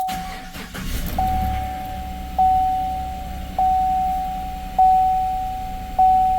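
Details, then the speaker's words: GM Sierra/Silverado V8 towed in, restarted after repair, check engine light not yet cleared: low even idle hum under door chime, no stumble or miss; smooth idle, suspected valve hung open from crud buildup. "tell you what she's smooth you're smooth I'm happy with that so could have just been like some crud built up on the uh valve in a short period of time that the valve hung open it feels pretty darn smooth"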